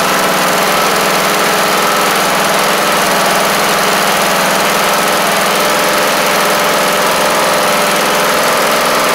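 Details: MTD Craftsman LT1500 riding mower, replacement engine's first start on battery: steady, even single-cylinder drone with no misses but a touch fast; owner plans to bend the governor in slightly.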